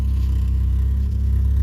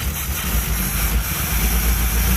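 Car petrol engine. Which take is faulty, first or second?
second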